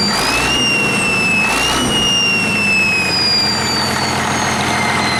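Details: 1959 Caterpillar D337F diesel genset, stored in a barn 10 to 12 years, just started and resting at idle (needs the shutdown lever to stop). Steady, even idle with a high whistle on top, no knocks or misses: normal idle.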